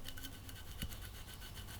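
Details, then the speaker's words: Campagnolo Super Record/Record crankset ceramic bearing (non-standard 6805 N, 25x37x6 mm) turned by hand gives gritty, scratchy grinding; failed crank bearing running rough. "so they have very very low rolling resistance but they're not immune because you can hear the"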